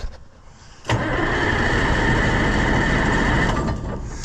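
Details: White 4-150 tractor that cranks but won't run: starter spins the engine steadily, about three turns a second for nearly three seconds, never firing. Filter to be pulled to check fuel flow.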